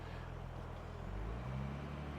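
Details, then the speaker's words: Car that sat for decades, cold start: petrol idle is low, then climbs higher and steadier whenever the brake is pressed and settles when released; suspected faulty brake booster or vacuum leak, engine slightly rich when cold. "I don't know if you can hear that, but the idle's going up."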